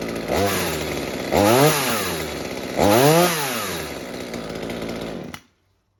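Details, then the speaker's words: Mini chainsaw after the carburetor high-speed mixture was turned down from rich: the small two-stroke revs cleanly three times without bogging, then shuts off. The mixture sounds right. "that sounds quite good now, except of course that the change makes very..."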